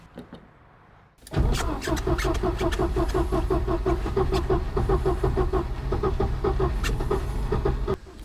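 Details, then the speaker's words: Mercedes-Benz 190E W201 petrol engine starting and settling into an even, steady idle after the rough idle was fixed by replacing the toasted spark plugs; engine still starts badly when cold. "bad idling is now finally fixed but the engine starts badly when it's cold"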